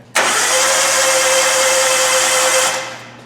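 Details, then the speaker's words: Hyundai Accent cranking on a freshly charged battery: fast, smooth, even whirr with no compression beats, spins freely and won't fire; compression test then reads zero, suspected broken timing belt with bent valves, head must come off. "turning it doesn't really feel like it has any compression that's a clue okay let's check the compression"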